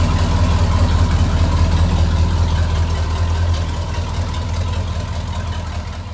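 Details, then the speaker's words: Loud, deep idle with a raspy, unmuffled rumble and low puffing. The exhaust flex pipe, fitted where the exhaust had been cut to pull the motor, came loose and is blowing. "so there's the flex pipe that clearly is blowing you can see the black the backside of it this was my repair"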